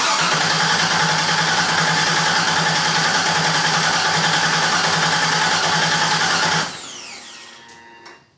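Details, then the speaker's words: 1977 Camaro Z28 first start attempt: steady even cranking about three and a half beats a second, never catches; owners suspect no fuel getting through, fuel system unconfirmed. "let it cool down for a second yeah still falling not sure we're getting gas"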